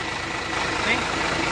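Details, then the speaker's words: Hino J08E engine (FM 260 Ti, Hino 500) after full rebuild and assembly: loud, even diesel idle with a steady clatter and no knocks or misses; running very smoothly. "Hai untuk bunyinya sangat halus yakni sangat halus"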